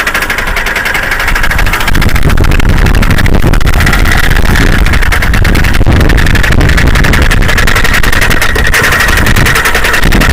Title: Toyota Camry Engine Knock